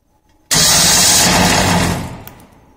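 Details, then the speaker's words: Starter motor bench-tested on a 12 V battery supply with a flywheel loading mechanism, no load applied: sharp switch-on into a loud, steady high whir, then smooth spin-down. Draws around 100 A, spinning freely and sounding healthy. "current draw when there is no load let's do it again so it's around 100 ampere when there is no load it's running free"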